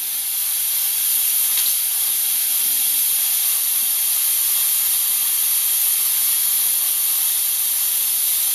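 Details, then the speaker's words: T-fal P45007 Clipso stainless steel pressure cooker on a gas flame, just reached pressure with red button up, heat being turned down: soft constant high hiss, no sputtering or surging; a small steady bleed of steam, the right level. "Here we go. I can see the steam coming now, and hear it as well, and we can see the red button there popping up, so we know we're into pressure."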